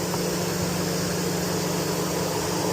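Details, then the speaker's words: Chevy Tahoe with code P0128 and an erratic coolant temperature sensor reading: steady whooshing roar of the radiator fan still running with the engine off while the sensor is being replaced. The fan shut off afterward. "The fan is still running. So, I get to finish the job with the fan still running."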